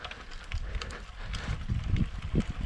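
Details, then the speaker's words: Cube road bike after re-greasing and torquing the thru-axle to 12 Nm, climbing under hard pedalling: only wind and road noise, no clicking from the frame or drivetrain. The click is gone under load. "teraz pytanie czy to dalej pyka jadę na jakiś podjazd dokładamy nogi cisza"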